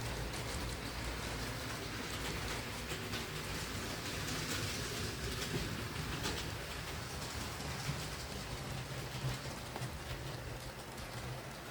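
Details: Hornby R2857 Class 5MT model locomotive after repair of mangled pickups, drawbar and wiring, terminals wedged apart, gears re-greased, running on layout: steady even rolling hum with light wheel clatter, no stalling; normal running.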